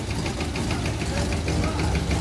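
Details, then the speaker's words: 1980 Oldsmobile Cutlass V8 after sitting nearly two years: sharp regular knock about six or seven a second over idle; suspected rod knock, unconfirmed. "all right do you think it's a rod"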